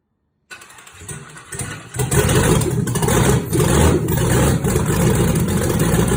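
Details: 1962 Chevy C10 with 5.3 LS swap, redone cams and 4L60E, first start after the engine sat built almost three years on a stand; brief cranking then a loud, lumpy cammed idle with a steady beat; normal start and idle.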